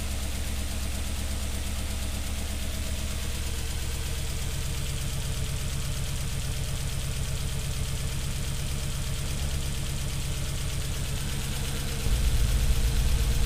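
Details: First start of the engine after timing chain guide and valley pan gasket replacement, with a cylinder 3 misfire mystery: even, steady idle with a smooth low rumble, no knocks or ticks; sounds smooth and healthy.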